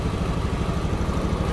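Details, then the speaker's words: 2014 Honda Beat FI scooter after idle adjusted to injector reading two with scanner, restarted without throttle: even, steady low putter with quick regular beat, no misses; now starts easily, normal idle. "coba enggak usah digas langsung aja enggak usah digas tuh ya Langsung hidup mantap mantap"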